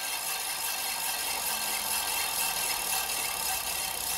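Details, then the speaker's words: Hand-spun scooter wheel, disc brake just re-adjusted: a light, hissy scrape comes and goes each turn with faint ticking, the bent rotor catching the pad. "Le disque il a un coup dans l'aile, alors on va bien le mettre hein, comme tout à l'heure parce que sinon j'ai ma tronche dans le mur, ça va pas bien."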